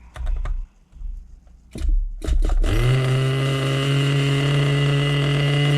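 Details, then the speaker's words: Vintage nitro RC engine (HPI RS4/MT2, OS tagged) fired after refuelling and reattaching a fuel line that kept slipping off the tank nipple and leaked fuel everywhere. Some clatter, then it settles into a steady high buzz without stumbling and runs healthy. "there we go there we go we got fuel everywhere but we know this sucker runs that was the only thing that mattered"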